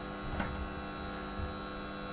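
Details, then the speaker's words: Philips masticating juicer (screw-thread, quiet motor), first use with apple pushed by plunger: low steady hum with faint even whine, no knocks or grinding; quiet, normal running. "it's not very noisy eater so it's quite good news"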